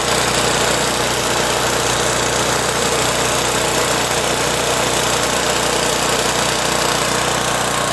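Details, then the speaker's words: Pro Force Powermate 2500 W generator small engine after cleaning the carburetor's clogged pilot jet to fix surging: runs at a steady, even speed with no rise and fall in pitch; steady running, surging cured. "all right so as you can see that cleaning that pilot jet did the trick pretty easy to do"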